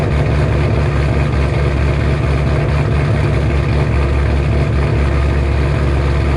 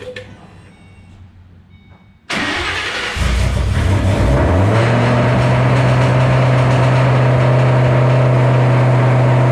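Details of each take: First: 2007 Shelby GT500 supercharged V8, first cold start after installing L&M NSR camshafts with Venomous Tuning tune: deep, loud, steady idle with heavy low rumble, no knocks or rattles; idle expected to drop lower when warm. Normal cammed idle. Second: 2007 GT500 supercharged V8 on its first start after installing L&M NSR cams. The starter whirs, the engine catches and flares, then holds an unusually high, steady idle on the initial Venomous Tuning tune; a later tune revision brought it down.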